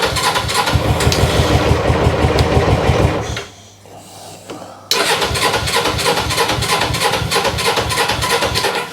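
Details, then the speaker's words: Motorcycle (GS) twin-carb engine, sat for three years, first start on choke: uneven loud chugging that sags, drops out briefly, then restarts and runs lumpy, struggling to hold idle; owner suspects a blockage in the left carburetor. "Oh, come on. No, I can hear it slowing."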